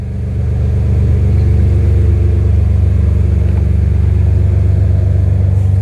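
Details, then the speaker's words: Freshly swapped BMW M3 S54 six-cylinder on its first start, alternator charging, surge tank connection unfinished: a deep, even growl holds steady and strong with no knocks or misses. Normal revving. "There you go, guys. We got a running M3 S54 swap. Can't be happier."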